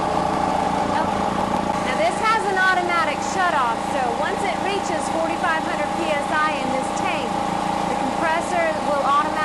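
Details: Air Venturi Personal PCP compressor filling a bottle, cooling system running: steady even hum at a constant mid pitch under chirpy background noise; normal operation.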